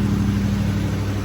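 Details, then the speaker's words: 1979 Mercedes 450SLC cold start after sitting a couple of days, started right up, no smoke: smooth even steady drone at raised high idle, no misses or knocks; normal cold-start high idle. "sounds good it's definitely on high idle right now but uh very smooth no bad noises or anything like that"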